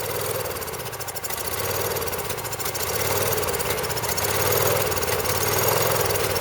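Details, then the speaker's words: Champion Power Equipment generator (6,000 W running, 7,000 W peak), sat about 2 years. It runs rough and uneven, surging and sagging, and stays lit only on sprayed carb cleaner. Fuel starvation from a stuck carburetor float. "so obviously when you give it uh some carb cleaner it starts won't stay running but it will start"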